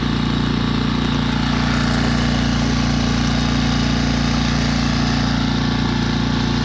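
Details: Tohatsu 6hp outboard, bought new spring 2020 with 19 hours, on a 1.5-ton Magnificent Midget sailboat at half throttle, about five knots; a steady buzzing drone with a fast regular rattle about three per second. Source not identified.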